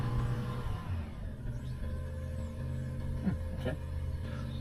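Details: Car started just after a job, with the service and timing belt still due later. A steady, even low hum after start-up with no stumble; normal, smooth idle without misfire.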